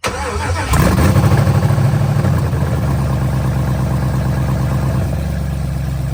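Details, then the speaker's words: First start of a Gen4 LS-swapped Cutlass with fuel pressure holding at 50 psi and no leaks: the starter whirs, then it catches into a loud, steady, lumpy idle with even firing and some smoke. Normal start and idle. "y'all heard it she started we got fire in the hole she pretty loud too"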